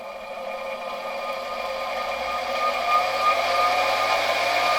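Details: 1964 Gamma II vacuum cleaner KASB-70/30 motor, bench test after cracked Bakelite suction housing replaced with one from an older same-type motor, cleaned and bearings lubricated: smooth, even whir climbing slightly as it spins up; runs cleanly.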